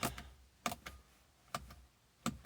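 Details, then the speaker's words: BMW E46 with S62 V8 swap, after coding the DSC module by laptop, DSC button tapped: quiet sharp clicks in irregular pairs about every three-quarters second from the module; normal, not every press clicks. "Now, whenever I tap this button, I can audibly hear the DSSE module clicking out there."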